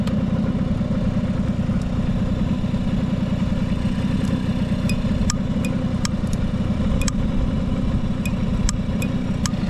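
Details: Vintage Honda 12V Squash (AB11-1055) moped, running check: the small two-stroke ticks over at a steady, even beat with no knocks or rattles; a quiet, healthy normal idle with no abnormal engine noise.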